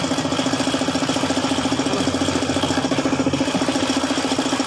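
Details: Suzuki F6A engine idling with a sharp, even knock about three to four times a second, caused by a failed oil pump.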